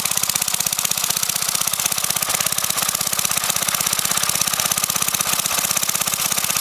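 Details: Briggs & Stratton 5 HP single-cylinder engine, sitting unused for years, run without a carburetor on propane from a barbecue grill tank, valve-metered mixture: pops along fast and evenly at steady speed, no misses or surging; normal running.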